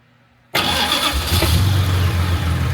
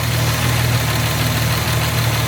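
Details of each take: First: Jaguar MKII after reassembly, fuel pumps primed with ignition on before starting; carburettors not yet tuned. Quiet, then the engine catches instantly on the first try and settles into a steady, even low rumble: normal start. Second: Jaguar MKII carbureted engine at idle, heard from the engine rather than the exhaust: steady low idle with faint light ticking; owner says carburetors need refinement and valve shims need adjusting, suggesting tappet clearance noise.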